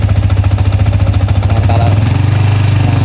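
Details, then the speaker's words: Yamaha Vixion held at mid throttle after the valve rocker ticking was fixed: a firm, even low exhaust beat with no ticking from the head. The remaining knock may come from the clutch. Normal valve train. "sekarang udah nggak ada ya suara ngelitiknya."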